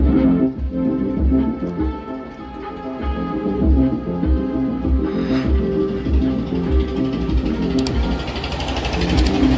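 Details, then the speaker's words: 4440 dual-IC 100 W amplifier board, after repair (a resistor removed/opened, so that point now reads no voltage): music plays full and clean with no crackle or break-up, where it earlier sounded distorted; normal amplifier output. "अब बिल्कुल आवाज clear बज रहा है देख लीजिए कैसा बज रहा है"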